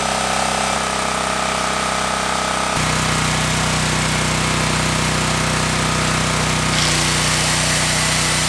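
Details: Generac 7000EXL 7000 W generator unused 10+ years, revived with fresh fuel, air filter and oil checked: steady governed speed, even hammering beat shifting slightly under load, no misfire; normal running.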